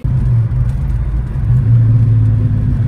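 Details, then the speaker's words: 1990 Mustang GT Foxbody with new harness and UPR AC delete pulley fitted, plugs thought to be still gapped at 0.054 in for the Screaming Demon: deep, steady exhaust rumble with even beat, no knocks or ticks; running really good. "ah she's running really good right now I think the plugs are still gapped at uh 54 thousands for the screaming demon"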